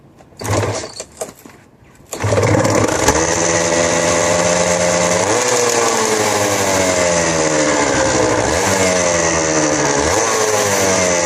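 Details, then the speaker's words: Suzuki RGV250 two-stroke, about 43,000 km, cold engine just kick-started on full choke: buzzy raised idle with small rev blips, both exhaust pipes smoking evenly, idle slightly high; normal cold idle on choke. "hopefully you can hear them both exhaust pipes are smoking evenly a little bit high at the moment that usually goes down soon choke is fully out"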